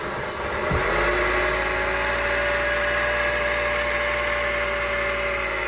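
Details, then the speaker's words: 2003 Honda CR-V (K24) after replacing the water pump, accessory belt and tensioner, refilling coolant: smooth, steady idle with no belt squeal or chirp; normal idle. "and smooth no squeaky noise back down so about to do that all right and you see it's circulating so it's getting to the engine"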